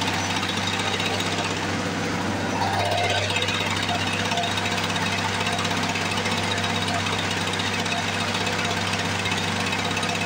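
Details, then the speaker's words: 1978 Lawn-Boy commercial two-stroke mower, stored for years, started after priming: fast, crisp, steady buzz with no misses or sputters; normal running. "ignition's on I can hear it priming here we go there's nothing boy if that don't sound beastly"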